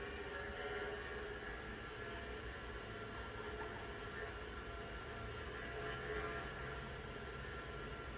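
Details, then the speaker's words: Large hard drive in a 40-year-old Apple Lisa during a boot attempt: steady low whir with a faint even hum, no clicks or grinding. Normal spin. "it's also good just to listen to the sound of such a large hard drive"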